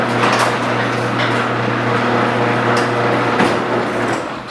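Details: Garage door with old worn metal rollers before replacing all 12 with nylon rollers: steady opener motor hum under continuous rattling clatter as rollers chatter in the track.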